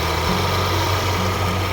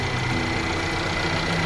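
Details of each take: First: Mercedes-Benz CLA250 W117 idling with a loud, rough whirring drone from the front, a leaking failing water pump losing coolant with the Top Up Coolant warning lit. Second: Mercedes-Benz CLA W117 petrol after water pump and pulley (broken bearing) replacement: steady, even idle with the squeal from the front of the engine gone; previously coolant leak with Top Up Coolant warning.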